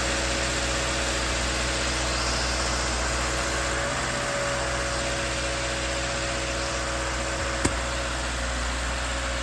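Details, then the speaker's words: 2014–2018 Subaru Forester after replacing accessory V-belt, tensioner and idler pulley: steady even idle hum with no whine or screech from the belt drive; noise resolved. "as you can hear everything is humming along nicely and this problem has been resolved"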